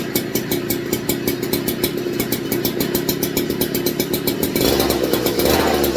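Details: Rebuilt McCulloch MC49 two-stroke on a 090 carb, running in a 64°F shop after the intermittent ignition fault was fixed. Crisp, evenly spaced firing at steady speed with a brief pickup near the end; running clean and healthy.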